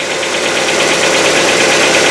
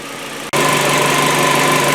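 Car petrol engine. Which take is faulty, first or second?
first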